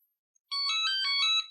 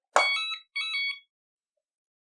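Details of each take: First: Hoverboard Scooty R12 with blown capacitor and non-charging battery, switched on with battery disconnected: short bright electronic jingle on power-up; normal startup melody. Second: Hoverboard scooter (Scooty R12) with blown capacitor and battery not charging, on power-up: sharp high beeps, one long then two short, repeating about every 2.5 seconds; refuses to run, fault warning, cause suspected not confirmed.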